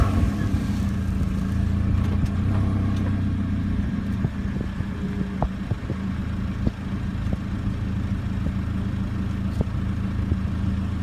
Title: clunky noise